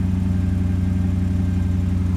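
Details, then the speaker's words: V8 race truck first start after re-welding a header that nearly broke off a cheap weld: smooth rhythmic idle, even low beat, faint light ticking, no exhaust leak puffing; running a little rich per wideband; now sounds healthy. "welded nice sounds like a finally changed sewing machine again instead of that clapped out nonsense so pretty awesome"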